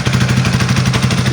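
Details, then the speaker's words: Italika Vortex 250 after partial engine rebuild, after fixing the nut that caused a spinning-type noise: steady, slightly uneven single-cylinder idle, seems a bit poorly carbureted, but the noise is gone. "vamos a prender para ver si sigue el ruido como ven no tiene ruido bueno el ruido habitual de esta moto"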